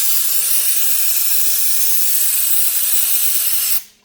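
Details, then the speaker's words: 2013 Audi Q7 3.0T supercharged, coolant system being vacuum-filled after oil-coolant mixing; strong steady high hiss for about four seconds cutting off as the valve closes, normal air purge at the filler. "all right so I got the hose in here I always like to purge the air so I'll open this it'll pull some and then I'll pull a vacuum on it"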